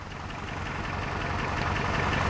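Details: Toyota 4Runner first thought to need a clutch job: rough, uneven idle with irregular low thumps and stumbles in the exhaust note; engine misfire, diagnosed with a test light.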